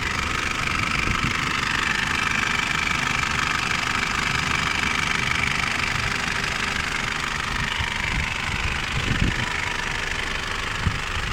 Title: Mitsubishi Pajero 3.2 diesel (4M41) engine completely rebuilt, strange noise